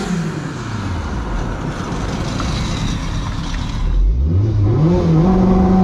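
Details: Turbo K20 Honda EF sedan on dyno, coolant about 180s °F: flat heavy drone at low revs then pitch climbs as it revs out; bogs until turbo spools, needs more rpm.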